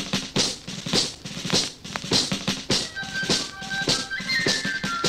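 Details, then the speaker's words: Tinny playback from BSR record changer's ceramic cartridge wired straight into amplifier line in: shrill, no bass, because low amplifier input impedance loads the cartridge so only highs pass; impedance-matching circuit needed. "Yes, as you can hear, it's very shrill, it's very tinny, there's no bass, and that's simply because the amplifier's input impedance is just too low for the cartridge. So it loads the cartridge down and only the high frequencies can get through."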